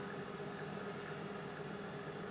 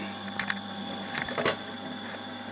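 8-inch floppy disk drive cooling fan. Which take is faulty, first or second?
second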